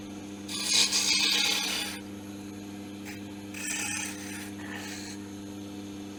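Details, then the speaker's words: Wood lathe turning laurel timber: steady motor hum under a smooth, airy hiss that swells with each tool pass; a clean cut with no strain on the machine. "it's actually you can actually hear it you get that lovely hissing sound um and there's no stress on the machine and and the operator"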